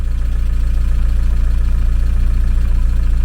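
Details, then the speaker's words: VW T3 camper with an AHU TDI diesel, after replacing the blown turbo with a used unit, sat several months and slow to build oil pressure: smooth, even idle with steady low thumping, a little exhaust smoke, no knocks or whistles. Normal idle. "that sounded good everything's looking all right here make sure there's no pills of oil up here and underneath a bit of smoke off the exhaust but it hasn't run in a long time now"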